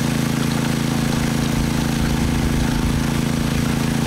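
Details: Honda WX15 water pump engine, unrun for 3 years, choke off while priming; fast, even putter with no misses or knocks; healthy, steady running.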